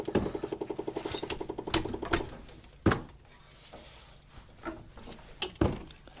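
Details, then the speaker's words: 2011 Chevrolet Impala, about 209,000 miles, during brake job: rapid pecking clicks about ten a second from the dash, like a woodpecker, from the blend door actuator. Blend door actuator clicking. "That pecking sound like a woodpecker stuck in my dash."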